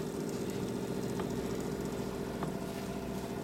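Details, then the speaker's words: Sony TC-350 three-head reel-to-reel, after cleaning gummed lubricant from the capstan idler wheel arm that stopped the pinch roller engaging and bogged playback: even motor hum, faint steady tick, no dragging; playing fine. "but now appears to be working it's just no problem now"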